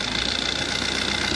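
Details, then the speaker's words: 2020 Maruti Ertiga diesel at steady idle: even diesel clatter, no thumping or vibration; the earlier internal noise came from a torn engine mount, now healthy. "सही हो गया, अंदर जो sound सुनाई दे रहा था देखिए वो साउंड नहीं है, कोई साउंड नहीं है।"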